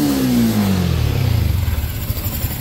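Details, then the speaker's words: Yamaha Sniper 155, 39,289 km, after cams and cam bearing replacement: revs drop cleanly to even quiet idle, previous top-end rattle gone; engine healthy. "Yan, tahimik na siya. Try mo pa isa pa. tahimik na ulit. Wala na yung nakalakalantog."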